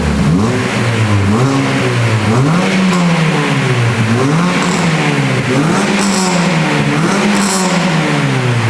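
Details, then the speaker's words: Mini after a standard exhaust replacement with a new back box: repeated blips rise and fall smoothly with a deep burble and an occasional pop on lift-off. Engine and exhaust sound healthy. "Oh my god, I love this car. Standard exhaust replacement, my ass. That's awesome."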